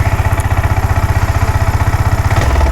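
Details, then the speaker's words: Yamaha R15 V4 at idle: fast, choppy putter with an uneven, misfiring beat that wavers as revs shift; holds low speed but cuts out at high rpm; misfire from a dirty ignition pickup coil. "വണ്ടി ഇങ്ങനെ അറപ്പാണ് മിസ്സിം ആണ്. ഇതാണ് ഇതിന്റെ complaint എന്ന് പറയുന്നത്."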